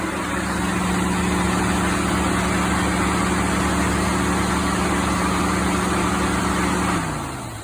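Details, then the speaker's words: 2016 Ford F-150 5.0 V8, about 62,000 miles, idling during A/C troubleshooting: a loud even rush of air from the cooling fan kicking on high for about seven seconds, then fading; owner suspects an expansion valve or system blockage. "But yeah, I don't hear the cooling fan kicking on, of course. My luck. Oh, I hear something. There it is."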